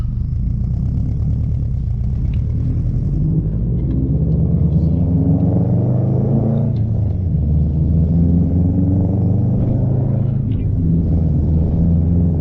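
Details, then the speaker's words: 2015 Subaru Impreza WRX STI rebuilt after rod knock, test drive under light load with exhaust: deep steady rumble rising and falling smoothly with throttle, no knocking or ticking; running normally. "Give this thing a test drive and see how it sounds under a little bit of load. Let's go see how this exhaust sounds."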